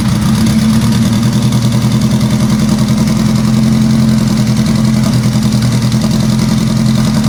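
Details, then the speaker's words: Four-cylinder project car started right after reinstalling the transmission with new sequential gears, after sitting about two months in cold weather: a loud, lurching, stumbling idle that is not running on all four cylinders. The owner suspects injectors rusted shut from sitting. "well that's not good it's running uh it's not running all four cylinders and i have a feeling i know why i hope i'm wrong but i have a feeling my injectors are rusted shut again from sitting"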